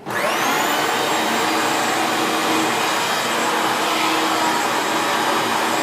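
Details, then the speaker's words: 1994 Hoover Turbopower 2 U2462 upright bagged vacuum with an 800W motor and no autosense, plugged in and started: the motor spins up quickly to a high, steady whine and holds evenly with no grinding or rattles. Normal operation. "what I'll do is just for this video I will plug the machine in and start it up so we can hear it working"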